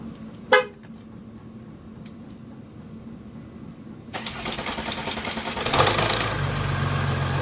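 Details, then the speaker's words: Mercedes OM642 diesel in Jeep WK Grand Cherokee CRD after timing chain tensioner replacement: quick crank, fires instantly and settles into smooth, even idle with no chain rattle; normal idle. "WOW instant that's excellent that actually I thought it was going to sound way worse for a lot go perfect"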